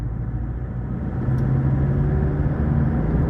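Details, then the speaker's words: Ford BT50/Everest diesel, road test after repair for stumbling and stalling on acceleration: revs pull up with a steady rising drone, no knocking or rattle; engine sounds soft. "เครื่องยนต์ไม่มีเขกนะครับลากรอบไม่มีเขกนะครับเสียงเครื่องยนต์นิ่ม"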